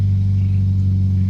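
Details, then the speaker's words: 2010 Toyota Yaris, 1.5 L four-cylinder, manual: deep, steady, smooth four-cylinder drone from the open exhaust, with the previous exhaust rattle gone. Normal idle, sounds healthy. "Sounds a lot better. It actually has some sound to it. It doesn't sound bad."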